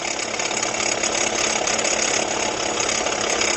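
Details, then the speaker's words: 2019 Jeep Renegade at idle, customer complaint of engine noise: a steady, high, hissy whir louder at the front of the engine. "e parece que ele tá mais forte aqui na região frontal aqui do motor né"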